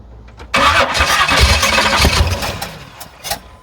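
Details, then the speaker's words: SBC 383 V8 in an S10 Blazer with a newly fitted MSD ignition, running about 100-octane mixed fuel: labored cranking catches into uneven, stumbling firing that never idles cleanly; timing is being backed down as it seems too advanced. Hard starting. "like I figured a little too much timing so let's back her down a little bit more"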